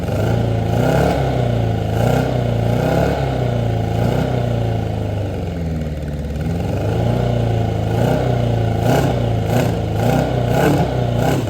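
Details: 1983 Honda Nighthawk 650 four-cylinder, sat since 1987, first successful start after new plugs: smooth repeated revs dropping back to steady idle, no misses or clatter.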